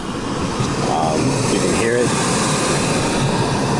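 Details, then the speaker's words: Lennox GCS16 rooftop gas HVAC unit, gas just turned on for new tenant, not firing, utility suspected air in lines, old Fenwal control: steady whirring inducer fan with no spark click or burner whoosh; inducer runs but no ignition, no heat. "inducer motor's running, but I got no spark, I got no heat."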